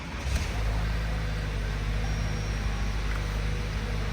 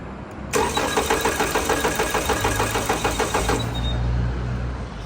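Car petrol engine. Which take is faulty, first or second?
second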